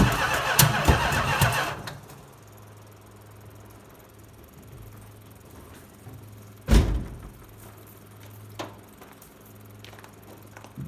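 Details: 1970 Chrysler Imperial, 440 big-block V8, parked since 1993: starter churns about two seconds and stops without firing; crank-no-start, most likely fuel delivery, with an inline electric pump later fitted.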